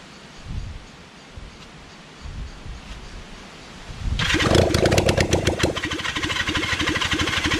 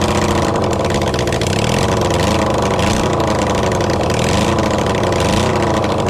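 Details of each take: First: Kawasaki Zephyr 750 under restoration, carbs just fitted after ignition fixed, cranked outdoors with a bit of choke: starter whirs in long bursts, engine chuffing evenly but never catching. No-start because the fuel tank had run empty. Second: Kawasaki Zephyr 750 under restoration, carbs fitted, refuelled, running on a bit of choke with string as throttle: steady busy four-cylinder idle with slight rev swells, no misses or knocks. Normal idle.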